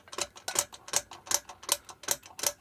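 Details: Effbike fat-bike hub motor running free, lying on the bench: sharp clicks about 2.5 per second from a failed clutch bearing. Owner first assumed worn internal gears.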